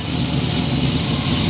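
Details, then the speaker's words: Project boat's first engine, after starting in a boat that had sat for a while: steady low idle with a smooth, even beat, no misses or knocks. Normal idle. "It sounds good. Why are you pissed? It's a new motor."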